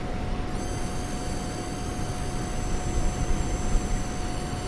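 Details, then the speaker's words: AMD Vega Frontier Edition graphics card loading Sniper Elite opening scenes, computer right behind the listener: steady mid-pitched coil whine with thin high squeals over fan rush, distinct from any fan sound; power-related issue. "Coil whine like crazy. In certain applications, especially when I have the computer right behind me."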